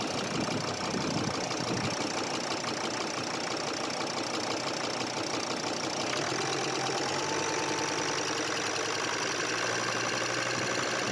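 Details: Volkswagen Crafter 2.5 TDI (BJL) diesel, neglected, heard cold and warm at slightly raised revs: fast light ticking like fingernails on piano keys over the diesel clatter, with a hollow manifold burble, pointing to noisy hydraulic lifters.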